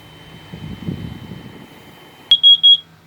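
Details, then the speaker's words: RV interior with idling engine: CO detector sounds three loud high-pitched beeps in quick succession over quiet cabin hum; carbon monoxide has collected in the back room, occupant feels lightheaded and the alarm won't reset. "Alright, the alarm is still going off. And I'm starting to feel a little bit lightheaded here."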